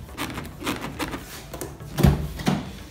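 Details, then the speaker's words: Jeep Renegade door: soft rubbing creaks every half second or so as the door shifts, dry rubber weatherstrip squeaking against the frame, seeming like a loose part inside the door but not. "esse aqui ó ó tô vendo esse barulho é o que borracha"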